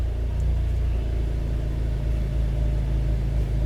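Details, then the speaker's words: 2010 Honda CR-V with code P0171 (system too lean, bank 1), idling: low steady rumble with a slightly uneven, lumpy pulse and no clear hiss; the engine runs but not perfectly, and fuel trims point to a massive intake air leak. "the vehicle runs all right but you can hear the sound and it doesn't run perfect"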